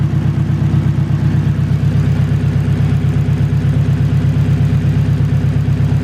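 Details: Turbo Acura RSX after a blown turbo, fuel pressure set to about 55 with both pumps on: a deep, even idle with a steady low pulse about three a second, no misses or knocks.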